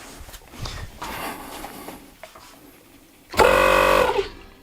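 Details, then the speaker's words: Small portable air compressor after replacing a seized bearing: handling noise, then a brief even motor hum with steady pitch, compressing and building a little pressure; normal compressor running. "so now it should be compressing so we might actually hear it oh yeah so we actually have some compression in here which is great"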